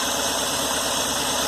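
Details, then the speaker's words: Fuel injector heard through a stethoscope placed on the injector body while the engine is cranked: steady fast ticking over hissy background, a click rather than a dull thud, meaning the injector is operating properly. "Okay, go ahead and crank it, Cole. And I do hear it clicking,"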